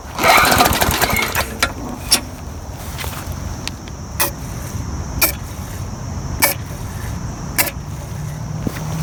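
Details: Murray lawn mower that ran fine four days earlier now won't start; repeated pull-cord attempts, engine coughs but never catches; suspected water in gas, primed and fed carb cleaner, fresh gas used.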